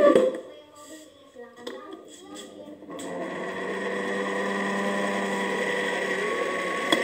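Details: Noisy electric fan motor starting after handling knocks: rough humming whir and steady high whine, from a dry, sticky motor shaft bearing; fan is being fixed at no cost.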